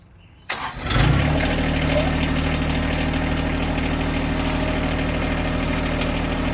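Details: John Deere 1025R compact tractor diesel, started cold to cycle fluid through the filter before checking level: brief crank, quick catch, then steady even idle with smooth low chug and no knocks; normal start and idle.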